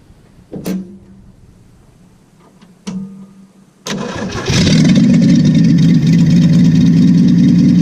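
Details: Willys truck, after hooking up a wire to the coil and unplugging another: two brief cranks, then it catches and settles into a steady even run with a smooth low rumble.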